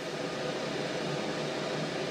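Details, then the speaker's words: Montek X1200 prototype power station (1200Wh LiFePO4, 2,000W inverter) just after solar-input overload cutoff at the 150 max: steady loud airy whoosh with no rhythm or tone change; cooling fans quite noisy, excessive fan noise. "I will by the way point out the amount of noise here um the fans are quite noisy"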